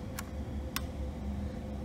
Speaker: it does click gives me a nice little reassuring click tells me the heat's on but you know nothing happens in the house